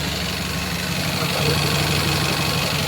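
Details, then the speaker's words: 2001 Toyota Camry after pod filter air intake install, possible intake leaks at clamps: idle lopes unevenly, pulsing about four times a second; running rich with fuel smell, throttle body suspected, not confirmed. "can be really hard to notice, but like it just like almost sounds like um one of those cars that are really thirsty for fuel and she's like um something to do with the throttle body."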